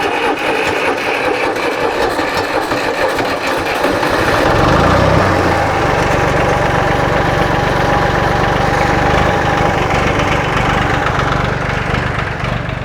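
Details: John Deere 820 three-cylinder diesel tractor, long unused, starter freshly wired, in neutral: brief cranking, then it catches and settles into a steady, even diesel idle with no misses or knocks; normal idle.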